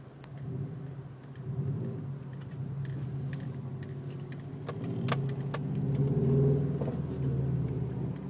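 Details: 2005 Subaru Legacy GT: sharp, irregular clunks and clicks over a low engine rumble, coming from around the driveshaft.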